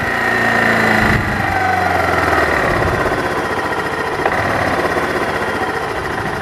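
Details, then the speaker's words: Kawasaki KLF300 quad running after the keyway fix cured backfiring through the carb and no-start: a quick, steady single-cylinder idle, not yet adjusted, sounding healthy. "So, yay! Alright, it's running! Hooray!"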